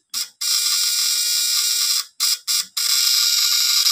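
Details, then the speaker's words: Stun gun with contact points, after repair (before, it struggled and the contacts stuck), fully charged: sharp, loud crackling buzz in steady bursts of a second or two, strong and even, not heating up; normal stun gun arc. "Oh, ang ganda ng tunog niya, guys. Diba? Kanina talaga, hirap siya."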